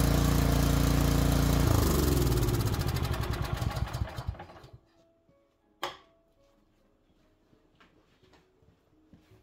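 Small single-cylinder engine runs steady and even for a couple of seconds, then spools down and stops cleanly; sounds healthy.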